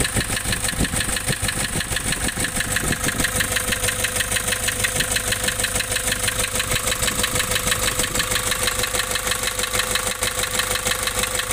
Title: Nissan Urvan Estate ZD30 E25 engine knocking replaced engine block assembly